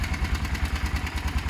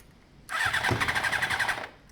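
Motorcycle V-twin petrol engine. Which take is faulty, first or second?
second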